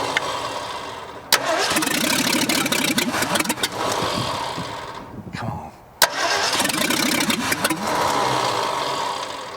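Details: 1965 Ford F100 dug out after years buried, neglected engine: long bursts of steady starter cranking with pauses and no catch; crew suspects not enough fuel or too much air, having to pump the pedal hard.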